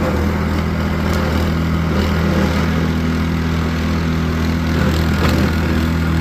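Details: Snowblower after the carburetor repair that fixed its choke-only running, driven over grass: the small engine holds a steady, even drone under load with no surging or hunting; normal running.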